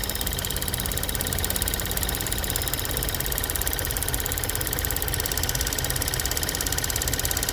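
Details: 2013 Ford Fusion 1.6 EcoBoost at idle: fast light high-pitched solenoid-like ticking over steady idle; cause found to be bad EVAP purge valve, not valvetrain.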